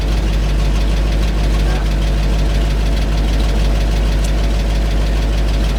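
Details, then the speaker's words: 1975 GMC C6000, 350 V8, mouse nest cleared from exhaust, little fuel in tank: deep idle with uneven lumpy beat; rough idle, owner suspects weak fuel pump or air leak, unconfirmed. "I was hoping maybe it was pulling air there it runs I guess if I gotta find a fuel pump for it I will"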